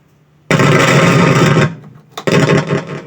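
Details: Repaired microphone tested through a Bluetooth speaker: loud crackling, buzzing bursts over speech; noisy output suspected from a broken or shorted wire.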